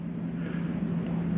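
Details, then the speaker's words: Jayco Eagle 28.5RSTS air conditioning switched to cool from the wall control panel, heard inside with the door closed: a steady low hum with a soft airy rush. Running normally. "I'll kick on your AC. Go ahead and close this door. Okay, you can hear your AC running."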